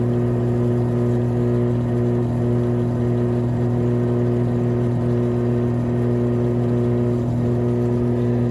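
Loud steady roaring whir with a constant low hum through the spin; failed drum bearings, likely from water past the tub seal.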